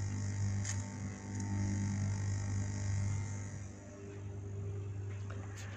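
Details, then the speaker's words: Mic amplifier with the mic volume turned up and the electrolytic capacitor's ground leg removed: loud, steady low mains buzz. The MP3 module's supply is unstable and poorly filtered. Mains hum from poorly filtered supply. "I took it off for the ground, the ground at the foot of the Elco came out, a buzzing sound, friends, you can listen here, I'm wearing a 6ins sticker"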